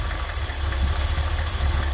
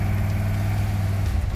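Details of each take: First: Ford F100 carbureted V8 in Park, 11–12 inches of vacuum, idle screw being lowered while tuning by vacuum gauge: low lumpy idle that dips and stumbles; idle speed set too low, engine also running rich. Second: Ford F-100 after a carburetor fix and vacuum-gauge tuning, with fresh oil, driving around the block. Deep, steady rumble with no stumble or hesitation; throttle response is snappier, it runs smoother and the idle is nicer, a big improvement.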